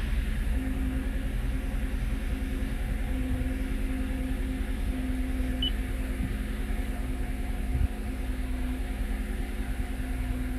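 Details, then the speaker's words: 2022 Toyota Avalon V6 restarted at about 1000 rpm after the intake manifold was refitted to see whether the misfire moves: a lumpy idle with an uneven pulse about three times a second and strong vibration. The misfire comes from a faulty fuel injector. "vibration Pero dito wala pa wala pang sa deta niya grapic niya Wala pa pero may misfire malakas malakas yung uga makina"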